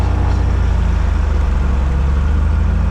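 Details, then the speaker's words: North American Navion run-up at about 1700 rpm after the magneto check: a deep, steady piston drone with an even beat while the prop is cycled, RPM dropping as pitch increases. The engine runs smoothly. "We then cycle the prop, make sure that the pitch is changing, and you can see that by the RPM going down as the pitch increases."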